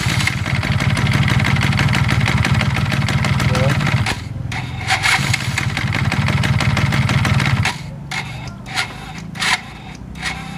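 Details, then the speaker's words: 2003 'PCR' scooter at idle: uneven knocking, about three to four knocks a second, then it settles and thins out. Caused by a bent crankshaft with play, which knocks against the mating gear; the crankshaft is visibly wobbling and loose. "Jadi terjadinya ada benturan tekanan jadi terlalu kuat sehingga mengakibatkan adanya bunyi ngotak-ngotak ketika kita lagi langsam ya."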